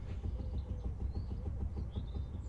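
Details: Vauxhall Astra H on axle stands, wheel rocked by hand: quick light clunks, about four or five a second, from play in a worn inner tie rod at the steering rack. Tie rods and track rod ends were then replaced.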